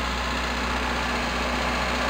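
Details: Toyota Tercel 4WD idling after timing belt, front seals and used water pump replacement, checked for water leaks; even steady idle with smooth low drone, no ticking or knocking; normal idle.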